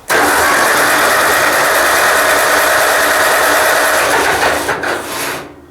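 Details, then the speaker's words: Ford 2N tractor cranking with fuel dripping from the carburetor, possibly flooded: the starter churns steadily for about five seconds but the engine never fires, a crank with no start. "checked the cylinder she's got spark but i'm not sure why it's not uh kicking over for me here got gas dripping out of the car but it might be flooded"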